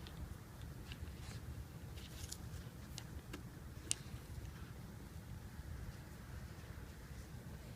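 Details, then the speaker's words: Mitsubishi Lancer Evolution 560cc fuel injector on the bench, seals removed, pulsed by hand with an on-off toggle; a few crisp single clicks in a quiet room, a good injector opening normally, unlike two dead ones. "Again, we have an audible click."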